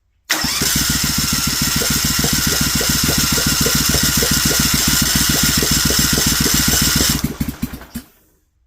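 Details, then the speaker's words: Briggs & Stratton Vanguard 16HP twin with rusted cylinders, cranked with starter fluid and choke: fast, even chuffing about four beats a second for seven seconds, spinning too freely, never catching; owner suspects no compression cycle. "sounds like it's not getting a compression cycle. This side over here wants to fire."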